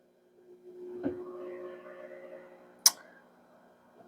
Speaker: it is moving the arms, but it seems like they keep getting stuck. So there could be either something wrong with the little motor in here, or it's hitting something in the ice mold or something like that.